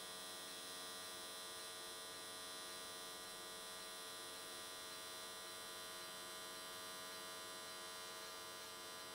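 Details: AC TIG welding an S13 catch can, likely aluminium, at 95 Hz square wave. Steady, even electric buzz without breaks or crackle. Normal, smooth arc running cleanly at the raised frequency, judged a good choice that carried the weld around in one session.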